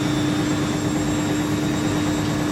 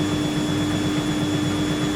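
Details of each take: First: Siemens IQ300 WD14H320GB/02 washer dryer (7 kg wash, 1400 rpm max, sold as "spinning gets noisy") on a Cottons 90°C cycle, spin ramping from 500 to 800 RPM: smooth steady hum with slight rattle from the top-mounted dryer duct; healthy spin. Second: Siemens IQ300 WD14H320GB/02 washer dryer (7kg wash, 1400rpm), Cottons 90ºC, spin ramping up to about 400 RPM: steady hum with light rhythmic knock each turn; owner thinks the wiring loom mounted under the drum rattles, and says nothing is wrong.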